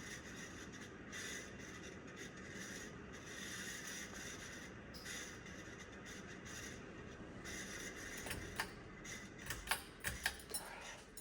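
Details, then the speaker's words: 1990 42-inch Encon Hugger ceiling fan in a workshop: steady scraping rasp with gritty rubbing over the fan's whir, then it winds down with clicks; worn bearings need replacing. "Man, these bearings are making such a racket. If I were to install this, this is not going in and installed in my house until these bearings are replaced. These bearings are so annoying."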